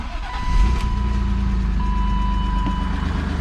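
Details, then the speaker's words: BMW E36 convertible petrol engine at its first start after replacing a shattered oil pan, with fresh oil and oil pressure built by dry cranking: steady, even idle rumble, no rod knock, chime sounding twice. Exhaust has a hole. "oh it sounds beautiful [Music] not sounds good no knock the motor lived it survived the oil pan"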